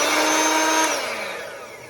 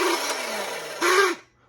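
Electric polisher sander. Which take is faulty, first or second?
second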